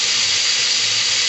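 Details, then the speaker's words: 2004 Chrysler Pacifica 3.5L V6, 120,000 miles, misfire on cylinder 6: loud, steady hiss of air sucked in at idle from driver's side above the transmission, loose intake manifold runner control shaft leaking, major intake vacuum leak. "the vacuum leak's coming out from the uh driver's side just above the transmission up underneath right here"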